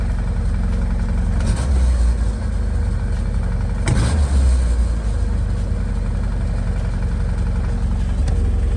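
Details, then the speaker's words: 1978 Ford Mustang 2.3, first extended run in decades after an aluminum radiator install: steady, even idle sitting noticeably too high. The cause is not yet found, and the high idle may make it run hotter. "I'll be idling too high. I gotta idle this thing down some."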